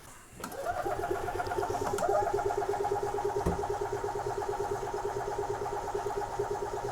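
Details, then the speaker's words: 2004 EZGO TXT gas single-cylinder golf cart, formerly crank-no-start, after full service: starts cleanly, steady even putter about three beats a second, no misses; runs good and sounds better, healthy idle. "okay runs good it sounds better made a mess not too bad"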